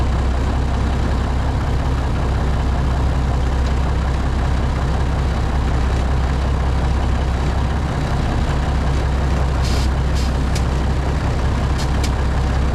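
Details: Classic White Freightliner diesel truck idling right after a cold start, transmission cold, air brakes frozen: low, steady idle with an even beat and a few air hisses; good oil pressure, air gauge rising, idling cleanly.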